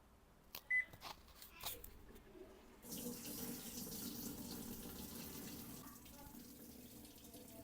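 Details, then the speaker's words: Toshiba AW-8970ST washing machine showing error E5: water rushes into the tub but never fills, draining out constantly through the outside drain hose; drain valve jammed open by debris. "อาการนี้นะครับจะสังเกตว่าเปิดเครื่องทำงานนะครับนี่เครื่องปล่อยน้ำเข้าไปในเครื่องเห็นมยครับเน้ำไหลอยู่นะครับแต่ว่าน้ำไม่อยู่นะครับเนี่ยเหมือนน้ำไหลออกจากเครื่องตลอดเวลานะครับบริเวณท่อน้ำเท้งด้านนอก"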